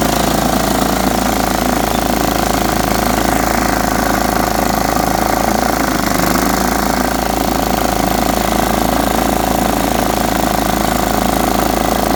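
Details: Riding mower single-cylinder engine after freeing a stuck carburetor float, with new air cleaner, new oil filter and fresh oil: constant loud drone with steady whine, no surging or stalling; normal running.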